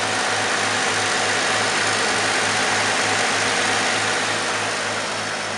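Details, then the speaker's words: 1951 Chevrolet pickup with rebuilt 235 six: even, steady idle pulsing about four times a second, smooth low hum, no knocks or ticks; runs perfectly. "motor was rebuilt you can hear it again it's a 235 runs like an absolute top just runs perfect"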